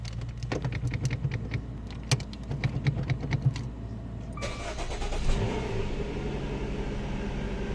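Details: 2015 Dodge Dart SXT, intermittent no-start, dealer found nothing: only clicks and rattles, then the engine cranks, catches and idles steadily once the shifter is moved; faulty neutral safety switch, confirmed by its replacement.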